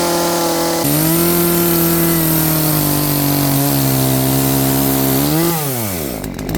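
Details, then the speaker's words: Poulan P3416 34cc 16-inch chainsaw with new Hipa carburetor, adjusted, cutting wood: screams at full throttle, bogs slightly into the cut, recovers cleanly without stalling; starts, idles and cuts properly after carb adjustment. Normal running under load. "seems to be well, it seems to be running now properly. It's cutting. It's not turning off. It's starting. It's idling."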